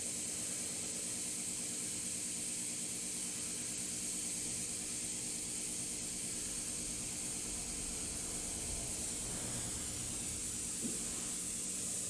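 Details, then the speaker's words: Shop main heater found cold after the heating system wasn't bled: steady soft hiss of trapped air purging from the radiator breather until hot water comes through; air trapped in radiator. "man that thing must have been full air it was completely cold this morning and the feed line was hot"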